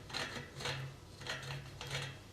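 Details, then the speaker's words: Turning the rear wheel axle by hand: gritty, rasping crunch in bursts from dry bearings and a pitted cone on one side; other side's cone fine. "This is so crunchy. Let's feel these bearings."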